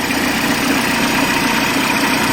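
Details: Peugeot 207 1.6 (NFU, Bosch ME7.4.4) with P0616 starter relay fault and no crank from the key; it runs with a steady, even idle hum, no knocks, misses or speed changes.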